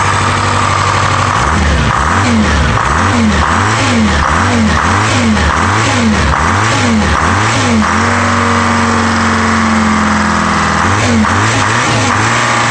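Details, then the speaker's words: Peterbilt diesel revving up and down: wet, spitting exhaust from water trapped in a muffler that had been stored horizontally for a year. Otherwise runs clean. "how we guys could hear that was just water cuz this muffler I had laying horizontally for a year and it's got so much water in here"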